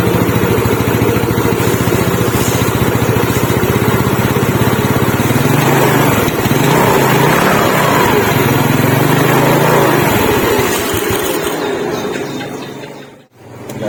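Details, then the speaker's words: Yamaha Mio Smile scooter after repair of a fan pulley that kept coming loose, about 2 mm extra ring added behind kick-start gear, test run: steady even putter, no rattle or slap from the pulley end; sound smooth and normal again. "Nah sekarang kita pengetesan gigislah kalau untuk suara sudahah normal dan halus kembali dan sudah jelas sudah pasti tenaganya pun kembali normal"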